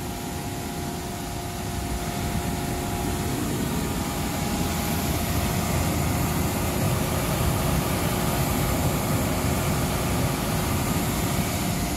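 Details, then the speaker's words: York gas pack rooftop unit after the failed indoor fan (blower) bearing was replaced: a steady rush of air over an even, constant hum with no grinding, squeal or bearing rumble. The blower runs normally after repair. "all right she's up and running looking good we're gonna let her run for about 30 minutes while we pack up just to make sure everything's all"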